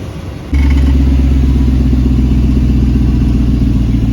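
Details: 100 Series Toyota Land Cruiser after replacing a rusted, holed muffler that caused rattling: fires up to a deep, smooth, even rumble with no rattles or gargling; exhaust quiet and healthy.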